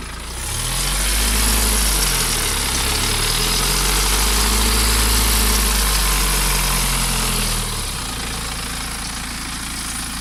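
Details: 2008 BMW E87 118d with N47D20 143 hp diesel, starting and settling to idle: a dry metallic timing-chain rattle over the diesel clatter.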